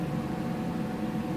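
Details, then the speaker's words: Oscilloscope's small cooling fan, previously half-seized and freed, spins with a soft steady whirr and even low drone, no scraping or buzzing. Its speed rose gradually after sitting for months; owner suspects microprocessor fan speed control. "maybe the fan just is going back to its old ways and I guess it's like an old car I got to start this thing up periodically so the fan doesn't think about seizing again"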